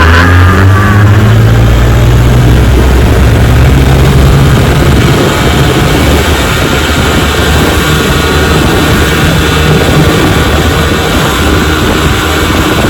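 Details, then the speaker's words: 1957 Johnson 10 hp QD18 outboard after full restoration (rebuilt carburetor and magneto), lake test run on a boat: loud, steady two-stroke drone at even pitch, no misses or knocks; normal running, zero problems. "Some motors give you trouble, some don't. This one gave 0 problems."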